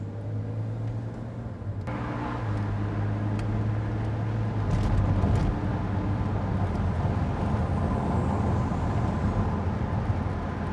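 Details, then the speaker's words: 2009 BMW Z4 E89 driving: only steady low road and engine drone, no creaks or rattles from cabin panels; trim quiet. "but at least it does not produce any sound uh when you're driving"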